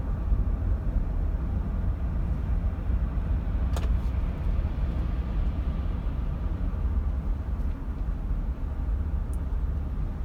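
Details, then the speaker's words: Land Cruiser 80 series on a drive over bumps that used to cause a front-end sound, after front stabilizer bushings were replaced. Steady low road rumble with no pops or clunks from the front end; the suspension sounds tight, with no clunk. "I went over some of the bumps and some of the stuff that used to cause the sound, and I'm not getting any sound."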